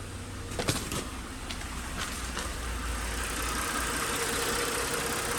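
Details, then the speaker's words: 2009 Lincoln MKS 3.7L after replacing faulty ignition coil (P0305): engine starts and settles into smooth even idle, no stumble, misfire gone, confirmed normal on oscilloscope. "y confirmamos el carro ya no está ya no está fallando como estaba antes"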